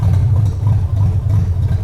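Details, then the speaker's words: Toyota Land Cruiser 100 4.7-litre petrol V8, abandoned, about 200,000 mileage, just restarted: idle surges and sags like choking, smoke everywhere, all warning lights on, one cylinder with low compression; rough hunting idle, cause unclear. "okay so you can tell as you can hear it's all over the place the revs all all of the lights are on literally all of them"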